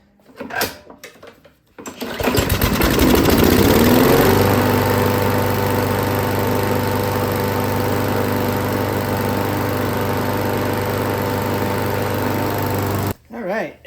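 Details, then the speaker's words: Free Craftsman lawnmower with auto choke, dirty air filter removed, started with starting fluid: catches and settles into steady even run with no knocks; fuel delivery suspect, auto choke being inspected. "let's see it's got the auto choke system but let's see if it starts with a little starting fluid"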